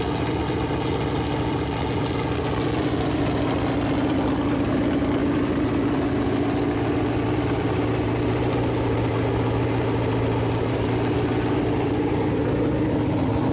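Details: Freshly built Chevy Performance 454 big-block V8 on a run-in stand, first start, temp around 190, good oil pressure: steady even idle, smooth unbroken low rumble, no knocks or misses; normal idle.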